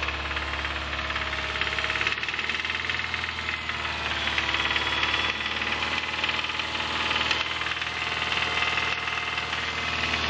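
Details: 2005 Subaru Impreza 2.5RS flat-four, 100k miles: deep, hard knocking keeps time with engine speed and sharpens when revved; teardown showed a bad #1 rod bearing, and the engine was replaced with a used one.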